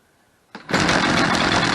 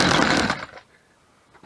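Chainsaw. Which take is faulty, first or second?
second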